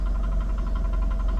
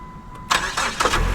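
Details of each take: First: 2008 PT Cruiser salvage-auction car at idle: a quick, even chirping pulse over a low idle rumble, which goes away as soon as throttle is applied; suspected pulley underneath, cause not confirmed. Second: 2008 PT Cruiser won at a Copart salvage auction, jump-started with a jump pack on the lot after a dead battery; starter cranks in a few quick bursts, then it catches and settles into an even idle: starts cleanly.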